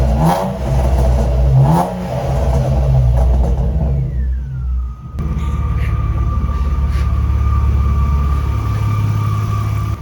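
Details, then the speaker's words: BMW E36: engine revs and settles, and a thin whine drops with revs then holds steady at idle; the whine has been present for two years, source unidentified. "And I mean, this whining noise, the car has been making this noise for 2 years and it did work."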